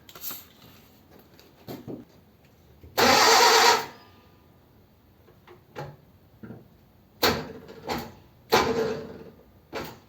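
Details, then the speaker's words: Old Ford 100E, clutch plate stuck to flywheel, starter used in gear with handbrake and foot brake on: heavy single clunk then short jerky lurches without catching; firm brake pressure gives a solid kachunk, lighter gives slow rotation. "I noticed that if I didn't press my foot really firmly I got that sort of slow rotation if I had my foot pressed really firmly it just did the solid kachunk thing"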